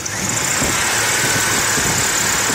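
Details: 1998 Chevy Blazer 4.3L Vortec at idle: steady thin high squeal from a brand-new NAPA OEM serpentine belt, squeaking soon after new water pump, belt and tensioner fitted; belt suspected, to be replaced with Goodyear Gatorback.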